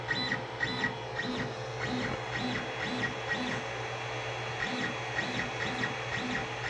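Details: Creality Ender 5 Plus 3D printer on its stock board, auto-homing before a v2.2.1 silent board upgrade: harsh tonal motor whine with rhythmic buzzing pulses about twice a second; loud stepper motors from the stock drivers.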